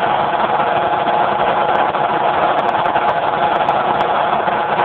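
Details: Generator converted to natural gas with solenoid safety shutoff valve, phone mic with poor audio: steady constant drone, held tone, no surging or hunting; runs smooth, normal running.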